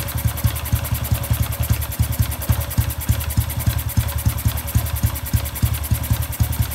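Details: Honda Wave 110i with a modified engine being returned to stock, started after the ECU was reflashed to the factory standard map: small single thumps at a steady idle of about three and a half beats a second with no stumbles; running normally.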